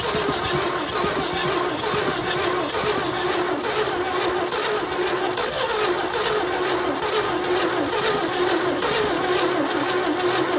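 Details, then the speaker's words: 1972 GMC tow truck sat 22 years, no carb fitted: starter drags over slowly and unevenly, about once a second, never catching; turning too slowly for compression, weak current blamed on undersized cable. "So we're hoping, the issue is that we can't get enough compression. It's turning over so slow, given how long it's been sitting."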